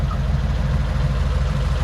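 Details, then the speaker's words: 1940 Mercury flathead V8 idling evenly, with a low burble, steady regular firing pulses and no misses. It was stranded with no spark, likely from broken distributor points, and it now runs better than before. "oh yeah the Flathead runs again um W it runs better than it did [Music] too I think it sounds even better than it did that's awesome"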